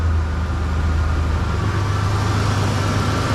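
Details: 1990s Ford Explorer with tune-up done, idling steadily with no stumble, hunting or hiss after a smoke test found and fixed a large vacuum leak that had prevented starting without starting fluid; now starts normally every time.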